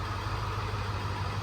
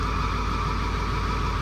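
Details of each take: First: 2002 F250 with the 7.3 diesel, after fixing injectors another shop had left improperly torqued. Running with the valve cover off and oil in the cylinders, it gives a steady, even, low idle with no knocks or misses as the smoke clears. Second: 2002 Ford F250 7.3 diesel, shaking and smoking with a haze, idling: deep idle with an uneven loping beat and a dropped cylinder, felt in the steering wheel; misfire, injector 7 buzzed weak and cylinder 8 flagged, faulty injector.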